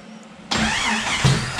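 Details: Turbo Jeep on Megasquirt MS3X after putting the cam position sensor back: quiet, then catches at once and settles into a rough, slightly uneven run; still needs tuning.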